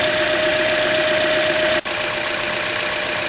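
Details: 2009 Toyota Corolla, about 185k–200k miles, Mobil 1 0W-20, idling: a fast, fairly regular tick of about four per second over a steady whine, with no check engine light. The owner checks the VVT oil control valves but doubts they are the cause; unconfirmed.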